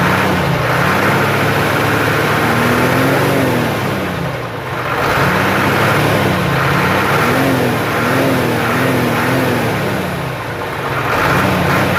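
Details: Hino truck Euro diesel after a crankshaft seal leak repair and coolant refill: revs rise and fall smoothly through a few blips, with steady firing and no knock, rattle or misfire; the engine runs healthy.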